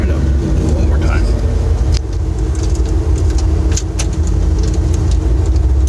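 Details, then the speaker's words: Ford 460 V8 dually with new cheap eBay high-torque gear-reduction mini starter, hot test after driving to town at 210 degrees on the gauge: fires right up, deep steady V8 rumble without hesitation or stumble; normal hot start. "no worries there just did a hot test with rat dooley uh 210 degrees on the temperature gauge and it fired right"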